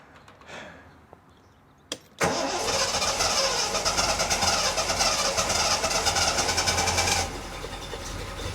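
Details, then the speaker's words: 1973 TVR 2500M, first start after fitting a new wiring harness: cranks, catches and settles into a steady, even idle with no knocks or misses; charge light goes out, then an oil leak appears at the aftermarket oil filter adapter O-ring. "Okay, maybe a third time cross your fingers for me. Let's see what happens. Okay, it did kick, okay, whew. Woo!"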